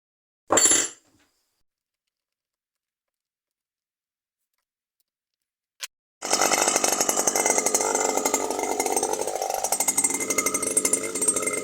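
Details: New Stihl FS 120 brush cutter that stopped starting after break-in: brief pull, pause, then the two-stroke catches and runs at a steady high buzz without stumbling after a faulty spark plug was replaced; running fine now.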